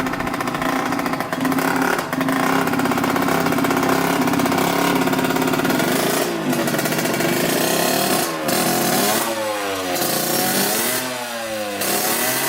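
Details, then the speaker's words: 1986 Yamaha YSR 50 two-stroke, bump-started after carburetor reinstalled and primed with premix, first run; crackles and revs up cleanly in repeated blips, free-revving with no stumbling; normal running. "Runs pretty dang good. Hopefully you guys saw that. It runs great actually."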